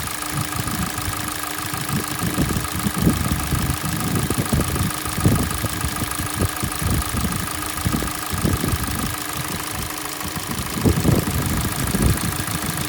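Cold idle with an irregular metallic knocking over a steady hum, the knocks loud and frequent throughout, a knock that should fade once warm. Cause suspected, not confirmed.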